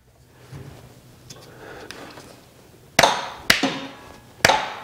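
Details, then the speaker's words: Riding mower electric PTO blade clutch switched on and off with a known-good PTO switch: three sharp metallic clacks within about 1.5 seconds as it engages and disengages normally. "on off you can hear the pto engaging and disengaging"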